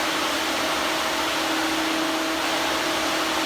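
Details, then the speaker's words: Electric radiator cooling fan on the Old Hank project car: steady airy rush with a faint hum and no ticking or wobble. Strong pull, quieter than the 57 Chevy's fan. "This one seems a lot quieter than the 57 one. You can hear that from inside the car."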